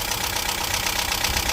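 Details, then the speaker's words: 1998 Talbot Express motorhome petrol engine idling: steady even hum with hiss, no tappet clatter; tappets fine, plugs and HT leads checked. "she is not tapety her taets are fine"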